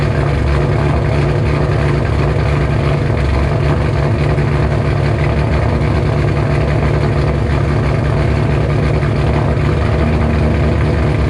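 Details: 2007 GT500 supercharged V8 on its first cold start after installing L&M NSR cams with a Venomous Tuning tune. Deep, lopey idle with a steady uneven lump, healthy; the owner expects it to idle a little lower.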